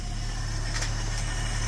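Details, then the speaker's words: Long-dormant 1972–74 AMC Gremlin six-cylinder, just started by arcing across the starter: low, steady idle with a soft even hum and no stumbling or knocking. Normal idle. "okay the moment I've all been waiting for oh and naturally there it goes that's ridiculous it's straight up idling can't make this"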